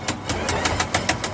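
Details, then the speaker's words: Electric four-wheel mobility car about one year old, knocking near motor while driving, also with wheels jacked up unloaded on both sides: even sharp knocks about five per second; suspected failed bearing or gear in differential or motor, unconfirmed. "这台车行驶的时候，大概就是电机这个位置有异响，我们听一下。"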